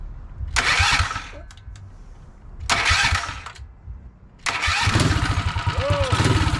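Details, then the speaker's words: HEMI 224cc Mega Moto minibike after fitting 1.2 ratio roller rockers, chain on, started with drill-driven starter: couple of starter bursts, then uneven loping beat, no knocks; normal running with cam lope. "seems to be running pretty good though definitely got a lope to it"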